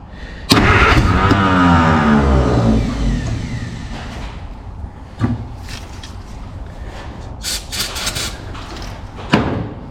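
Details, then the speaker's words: Free 1951 Plymouth (described as 1952 Cambridge) with formerly locked-up engine, only a 12-volt coil hooked up, generator belt off, vinegar and PB Blaster in cylinders: starter whirs, engine catches with rough rising sputter and weak pops but won't keep running; firing order doubted, more juice suspected. "It wants to fire up. Maybe more juice."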